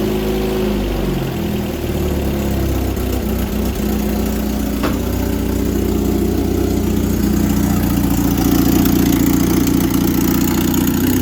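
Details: Petrol engine with Rochester carburetor, first start after sitting about a year, on choke: slightly uneven, puffing idle; suspected exhaust leak and rough running from a faulty carburetor.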